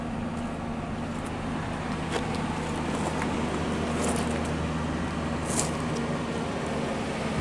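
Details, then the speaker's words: SUV with Triton 4.6 V8, dead battery, brake and anti-lock lights on, rough condition; steady low idle with an even beat, no misfires or knocks — normal idle. "Sounds like a pretty smooth running truck though for how kind of condition it's in."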